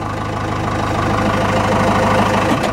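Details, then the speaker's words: Cummins 4BT diesel with starting issues, just primed: steady idle about three firings a second with uneven beat and occasional stumbles; intermittent miss, owner recalls air in fuel system causing it before, unconfirmed. "know what it misses I've seen it comments miss before it it's not consistent like this"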